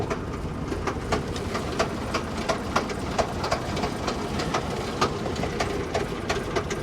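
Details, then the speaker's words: Lincoln MKC at a salvage auction, rough-running petrol engine banging with sharp, uneven knocks two or three times a second; inspector suspects a thrown rod out of the block. "i'm gonna go out on a limb here and i'm gonna say that this vehicle has thrown a rod somewhere somewhere there's gotta be a rod hanging out of the block i guarantee it"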